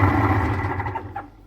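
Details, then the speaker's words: Vacuum cleaner switched on for diagnosis: motor gives a low, rough droning hum instead of a clean whine, then dies away; noise traced to the motor. "Ez a porszívóból származó zaj a porszívó motorjával kapcsolatos Tehát a probléma ezzel a porszívóval a motor"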